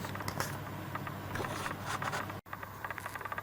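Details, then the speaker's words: Video camera's own microphone: irregular light ticking and rattling close to the mic, busier near the end and worse when camera tilts downward; something loose inside the camera body, worsening, cause not confirmed. "yeah just playing with this seem as when the camera's tilting downwards it rattles more"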